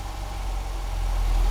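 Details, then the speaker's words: Ford Fiesta 1.1 barn find, battery or alternator suspected: short stretch of low, smooth idle holding steady and firming up slightly with no stumbling; idling nicely. "isn't it running Lely just drop a little bit of"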